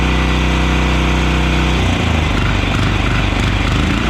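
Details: Yağmur YET 300 single-cylinder diesel rototiller after repair: chugs steadily at about three beats a second once it catches, firing cleanly with no valve tapping. Normal running.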